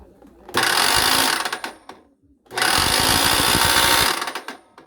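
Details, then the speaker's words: Makita M2300 miter saw after cracked wood jammed the blade: two bursts of loud rough buzzing with a rattly edge over the motor whine on spin-up; fixed by replacing the shaft bearing, main shaft and flange. "Após o incidente com a madeira trincada aqui que travou o disco, ela começou com esse barulho"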